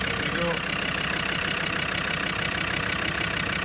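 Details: Land Rover Discovery Series 2 TD5 diesel after crank-no-start diagnosis: steady idle with an even, quick beat and no misses or knocks; engine runs normally.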